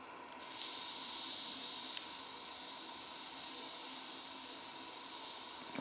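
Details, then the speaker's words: Wilesco T115 model steam turbine boiler heating up, with the pressure gauge just off the pin; steady high hiss that rises a little as pressure builds, with no mechanical beat. Steam is leaking from somewhere, source unconfirmed. "Still no pressure indicated, but there is obviously some sort of pressure in there. The whistling's coming from someplace."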